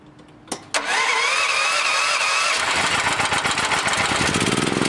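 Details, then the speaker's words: Welding generator fitted with a new dual-fuel LPG/NG carburetor for a Honda GX390 188F, running on gasoline, idle screw adjusted with a screwdriver: cranks and catches quickly, then settles into an even idle of about four pulses a second; normal idle. "Adjust your idle setting. That right there seems to be about where it wants to idle."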